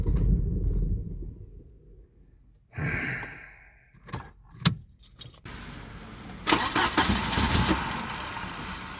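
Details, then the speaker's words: 1993 Volvo 940 turbo wagon that stranded its driver on the road: the starter spins the engine steadily but it never catches or fires; a crank-no-start. "so um yeah there's my 93 9 40 turbo volvo as you can see it refuses to start"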